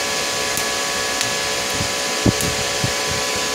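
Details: IGBT inverter welding machine after PCB repair, safety bulb on AC input, output at minimum current of about 10–20 A: steady hiss with electrode crackling pops over an even hum; stable arc, welding normally.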